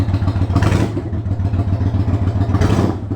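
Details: 1993 Yamaha Virago XV535 V-twin, possibly with Black Widow exhaust, after spark plug replacement (one old plug was loose), warming up: steady low loping idle with two brief rev rises, even firing, no misses; running normally.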